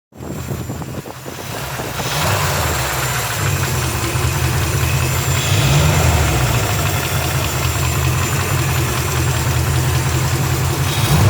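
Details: Rebuilt 350 5.7 V8 idling with a deep rumble and a rhythmic knock about three to four a second underneath; the cause is unknown.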